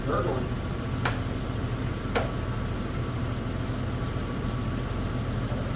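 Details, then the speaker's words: Toyota 4Runner with swapped-in 3.4 engine, 280,000-mile motor that sat for a long time, idling during first warm-up, slightly smoky; steady low idle with two sharp isolated ticks about a second apart; owner hopes it was just the thermostat opening. "so that sounded really weird that was just a thermostat opening those are very weird ticking noise I hope that was just the thermostat opening"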